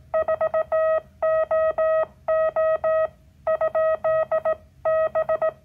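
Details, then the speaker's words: Homebuilt multivibrator Morse practice oscillator with an added RC filter: a clean, steady tone of about 650 Hz keyed in crisp dots and dashes, smoother than the squeaky 555-based key; working properly. "So by having this circuit with the RC filter, I get a nice side tone. Isn't that a pleasant? That's just a nice, pleasant side tone."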